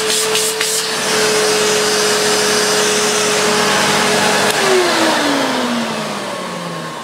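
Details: Hoover Purepower U3456 Autosense vacuum before refurb: steady high motor whine, smooth, sliding down in pitch as it drops voltage to a lower setting; motor healthy.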